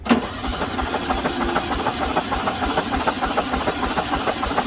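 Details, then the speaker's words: 1974 VW Super Beetle, compression test with spark plugs out, coil wire unplugged and throttle fully open: even, regular cranking beat about three per second, no skipped strokes; cylinder one reads 130, consistent compression. "that one's at 130 as well right on now i'm gonna go ahead and check solar number three that one's right there at 130 as well nice looks like we might have a pretty consistent engine"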